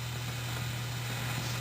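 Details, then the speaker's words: Fender Super Reverb amp with the reverb driver tube removed: steady hiss over a constant low hum with the tremolo ticking gone; probably a noisy resistor, and an ungrounded input jack is also suspected. "worried about it I think there is probably a noisy resistor somewhere we'll find her in it"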